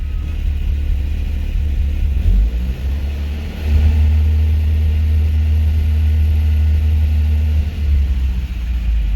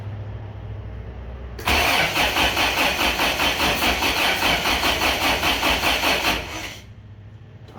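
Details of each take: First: Rebuilt 1987 Toyota 4Runner 22RE idling: smooth, even idle with brief throttle blips; smoke cleared at idle but constant smoke around 2000–2100 rpm during cam break-in, possibly rings seating; about 75 psi oil pressure at 2000 rpm. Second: Rebuilt 1987 Toyota 4Runner 22RE with a new distributor cap, untested cold start injector: steady cranking about 2.5 beats per second for nearly five seconds, one faint sputter, never catches; ignition timing incorrect.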